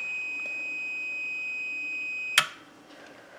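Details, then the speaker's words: Homemade 15 kW electric furnace blower heater: the relay beeper sounds steadily, then stops with a click about four seconds after unplugging, as a 4700 µF 50 V capacitor wired in parallel drains; the time delay works as intended. "so as soon as I unplug it the other two went off they'll be controlling the elements and this stayed on for approximately four seconds until the capacitor drained off"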